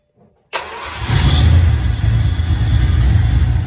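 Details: Ford 5.0 Mustang, first test fire after swapping in a GT40 intake from an Explorer, fresh oil and filter: quick catch, smooth rise into steady deep idle, no stumbling; starts and runs fine.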